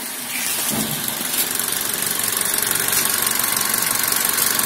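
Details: Daihatsu Sigra at 90,000 km, started after new spark plugs and combustion chamber and injector cleaning: it catches right after the starter and settles into a steady, smooth idle with no knocks or misses.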